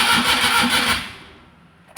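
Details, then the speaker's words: Maruti Suzuki Omni MPFI, towed in, ignition on, in neutral, fuel pump and PCM relays clicking: starter gives steady whirring crank that never fires; cranks but won't start, cause not yet found. "Crank ചെയ്യുമ്പോൾ ഇങ്ങനെ crank ആവുന്നുണ്ട് പക്ഷെ വണ്ടി start ആകുന്നുണ്ട്"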